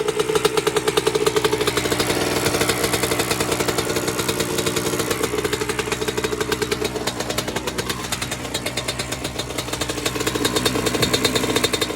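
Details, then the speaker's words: 1996 Honda CR80 two-stroke project bike, first running after clearing a fuel blockage: ticks over but the beat stumbles and won't settle, running rich as the carb now floods; suspected sticking float. "The carb is now flooding. I mean, it runs, ticks over, but yeah, we're flooding now, so got to see why that's sticking."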